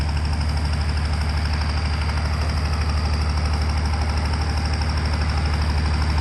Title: M35A2 Multifuel engine misfiring exhaust sounds (1)